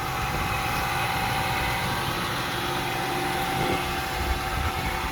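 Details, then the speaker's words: 2004 Ford Mustang, hood open on a cold day: smooth, even idle with a steady low rumble and no knocks or ticks; engine sounds good, normal idle. "Here's the motor. It sounds good."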